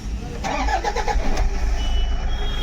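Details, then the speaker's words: 2011 Toyota Fortuner diesel after fixing injector circuit (DTC P0200) wiring, clip temporarily fitted: brief crank, quick catch, smooth even diesel rumble with no lumpy beat; misfire solved. "तो engine start हुआ जोरा machine का problem था व solve हो गया"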